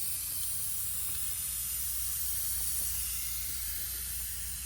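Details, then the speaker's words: Honda Crosstour A/C unused for years, large leak and failed compressor: steady even hiss with no rhythm and no engine, refrigerant escaping from a tiny pinhole in the suction line. "I'm pretty sure there's, yep. There it is. There was some Freon in my lines. Can you hear it?"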